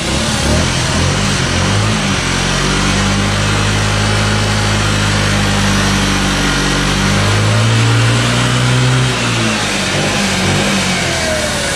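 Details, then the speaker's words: Scooter sitting for years, just started: revs and holds with busy rattly top end over the buzz; noisy chattery valves, burning oil and smoking, owner blames valve seats, needs valve adjustment. Valve train chatter. "You can definitely hear the valves at play here. They're pretty noisy, they're chattery."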